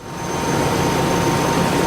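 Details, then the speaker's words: 1998 Chevrolet K2500 (GMT400) HT6 AC compressor after clutch coil replacement, engine running: steady even hum with faint constant high tone, compressor engaged and working normally, no knocks. Earlier it cut out intermittently in hot weather after long drives. "We got everything buttoned back together, and our compressor is working just fine at the moment."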